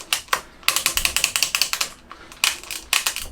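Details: Crisp, evenly spaced ratchet clicks come in quick runs as the lever is worked on a long-neglected, rusty bike stored in a damp shed, just after lube was put into the shifters; each indexing step sounds clean and healthy.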